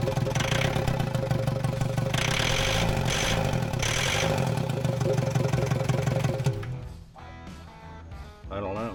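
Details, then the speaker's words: New built VW ALH TDI diesel in Willys wagon swap, first start without coolant connected: harsh rapid clattering knock through idle for several seconds then dies away; cause unknown. "don't know. It's like clanky."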